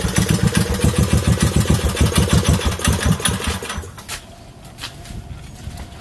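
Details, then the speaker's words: Craftsman 5 hp Briggs & Stratton minibike with CVT belt drive, reassembled with anti-seize, red grease and an overly soft spring removed, on a test ride at only half throttle: it thumps along and picks up cleanly with no slipping or surging; working great. "Oh, it's working great. Yeah. I wasn't even full throttle there. That was only half throttl"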